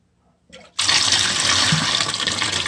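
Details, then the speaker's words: McDonnell & Miller #67 low water cut-off on 30+ year old Weil-McLain EG steam boiler, pre-season start-up with stuck float: blowdown valve opened, sudden loud steady hissing rush of water; normal cut-off flush, float turns back on after. "you'll have an initial rush of water coming out and once that slows shut the valve so what's happening is it's emptying out faster than it's coming in"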